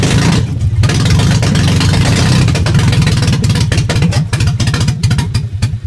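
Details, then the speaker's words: Nissan 300ZX after jumped timing belt, cam gears re-timed and crank angle sensor refitted: uneven, lumpy exhaust beat with irregular pulses while revving, likely missing cylinders; rough running, owner suspects bent valves. "all right now i i've ran it for a little bit ran like crap there's definitely probably valves bent"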